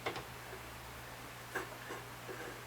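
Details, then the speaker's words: Machining setup during a 1946 Knucklehead Harley rebuild. A couple of sharp single ticks over a steady machine hum as the cutter hits one corner; the setup is off center and needs moving a couple of tenths. "We're hitting in this corner right here, so we need to move it this way and this way a little bit."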